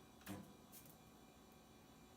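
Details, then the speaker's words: Tray-loading iMac G3 at first power-on: a quiet, steady low whir with a faint hum and no rattle from a normally spinning cooling fan; the old hard drive also whines. "see how loud it is if it has a fan or not probably it has yep I can hear a fan it's also a different thing"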